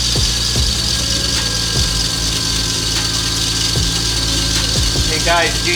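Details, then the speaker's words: Lexus GS300 with 2JZ-GTE VVTi turbo, at start-up: sharp steady high squeal from the serpentine belt drive over the engine, caused by a glazed belt, before replacing it with a new Gates FleetRunner belt. "hear the level of squealiness coming from this right here all because the belt is glazed whenever you have a glaze the belt it is going to squeal"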